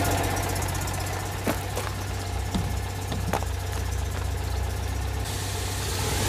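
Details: Citroën 2CV flat twin with newly fitted engine, on the driveway without bodywork, loud open-pipe idle with a few quick blips, even beat; carburettor jetting thought entirely wrong, still on old jets. Normal idle and revving.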